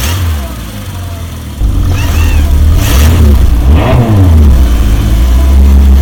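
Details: Barn-find Volvo 480ES on a replacement ECU, fuel pump primed: catches after a short crank, almost at the first turn of the key, then rises and falls cleanly through several revs without stumbling; normal start and revving.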